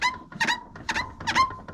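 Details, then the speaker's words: LG WT7200CW top-load washer squeaking rhythmically about twice a second during spin as plastic tub rubs textured pads under off-balance or heavy load; duct tape on pads stops it, levelling the washer should prevent it. "you'll get that rub and it's the plastic against these textured pads is what i've been able to discover putting a piece of duct tape on them makes the squeak go away"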